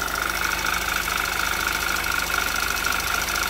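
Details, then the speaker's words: 2011 Audi TT Quattro 2.0T TFSI first run after engine damage repair, sat 1.5 years, chilly day: light fast ticking three to four per second over idle, oil pressure 40–45 psi, no check engine light; owner suspects lifters still filling. "Lifters are getting a little noisy. Not exactly sure why that is. It's getting oil."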